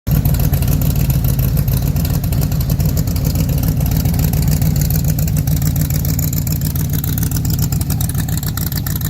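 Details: Factory Five MK4 V8 at idle after installing GP headers with side pipes: deep, steady burble with even pulses, no ticking or puffing; previous exhaust leak fixed.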